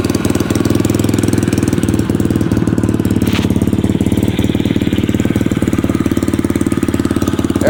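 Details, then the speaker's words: SSR small single-cylinder bike after carburetor rebuild, previously only started with starter fluid, now starting without it: after a brief hesitation settles into a quick, steady putter about three beats a second, idling evenly; sounds healthy. "she took a little second but she's up and running no starter fluid need it iding pretty nice and good"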